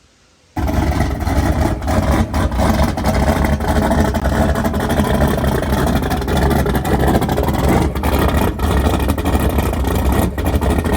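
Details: Small-block Ford turbo 383 V8 after new rocker arm install fixing a metal-on-metal tapping, very cold outside, timing not yet set, slight exhaust leaks: engine catches and settles into a steady deep even run with no tapping; healthy.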